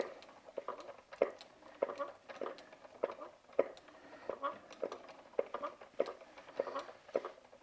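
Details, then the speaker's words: Eden Valley Enterprises EVE double-drive spinning wheel, well used: a short, reedy squeak repeats about every half second with each treadle stroke, from wood rubbing where the treadle meets the front frame. "so the the kind of squeaky squeakier sound like all right all right type sound that's from the wood and the treadle going into the going into the front frame"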